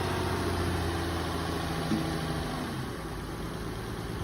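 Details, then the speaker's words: 2008 Nissan Altima, jump-started at auction lot, moves forward and backward: steady even low rumble with no knocks or misses; normal idle. "Actually, the engine sounds pretty good on this one, folks."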